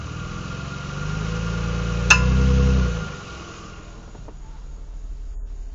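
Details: 2007 Mitsubishi Eclipse: sharp click through the engine when pulling away from a stop, louder reversing uphill under load; left drive axle diagnosed worn, both drive axles replaced and noise gone.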